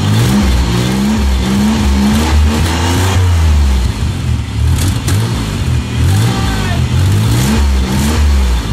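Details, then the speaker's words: Van after swapping leaky stock muffler for a Flowmaster muffler, not yet welded on: deep smooth exhaust rumble rising and falling cleanly with throttle blips, no rasp or leak. "that sounds a bit better now we got to weld down on the muffler on and then it'll be ready"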